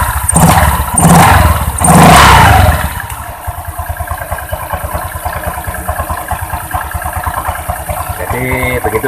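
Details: Honda Vario 125 scooter after the CVT repair (shimmed with hose): three quick throttle blips, then a steady, even idle with no low-rpm klotok clacking from the CVT.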